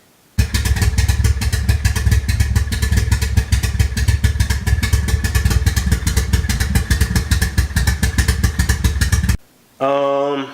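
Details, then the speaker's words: Toyota MR2 SW20 with 3SGTE turbo engine that starts but runs poorly with smoke; loud, sharp exhaust pulses at idle with an uneven, stumbling beat; owner suspects boost or vacuum leaks: rough running, misfire. "I actually want to start the car and it does start but it's still running crappy so I have to run down some like boost or vacuum leaks"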